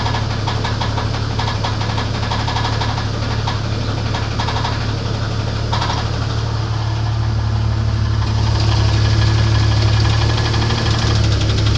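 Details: Internal engine knock on a 1994 Grand, 4-litre engine, at idle: regular knock about four per second hammering over the idle without letting up; cause not stated.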